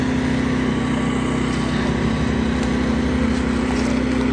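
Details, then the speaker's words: New Firman dual-fuel 4000 W generator, electric-started, warmed up, on full mode, heard from about 18 feet away: smooth, steady hum at constant pitch, no surging, misses or knocks; quiet enough to converse, running healthy. "uh it's considerably quiet you could have a conversation with somebody you really wouldn't um you wouldn't have to yell or scream or anything um and that's on full mode"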